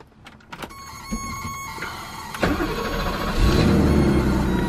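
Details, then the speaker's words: 1982 BMW 633CSi (E24) with a 90,000-mile M30 straight-six cranks briefly, catches at once and settles into a smooth, even idle; a healthy cold start. "here fires right up"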